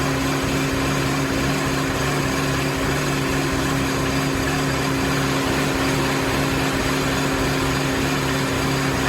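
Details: Mini after head gasket and timing chain reassembly, first start on fresh oil after coolant had contaminated the old oil: started a little rough, then an even, steady idle with no knocks or misses; runs normally.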